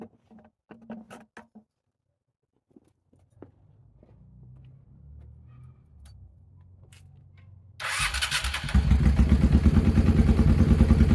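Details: Motorcycle after velocity stacks and two shims were fitted, running very well after a test ride, with the deceleration pops now gone: quiet clicks, then it catches and settles into an even, steady idle with a regular beat; normal idle.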